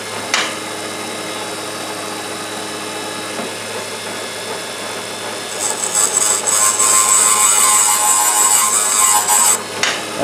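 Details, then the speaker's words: Valve refacing on a low-mileage 1914 VW cylinder head: even gritty grinding hiss brightening into a thin steady high ring as the valve face cleans up quickly; may need more valve spring pressure. "Hear how fast it cleaned up. Sounds like I might need to put a little more valve spring on this thing."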